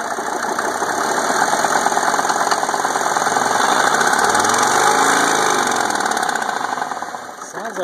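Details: 1991 Mercedes 300D diesel idling after the preheater was bypassed, with some oil seen at the back: a rhythmic puffing tick about three per second swells and fades over the clatter. The owner hears more pinging than usual and suspects the exhaust manifold.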